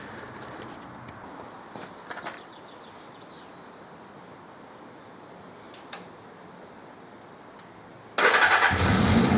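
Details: 1979 Suzuki GS550E laid up for about five years: a few quiet clicks, then the engine catches about eight seconds in and settles into a loud, steady run. It starts and runs fine.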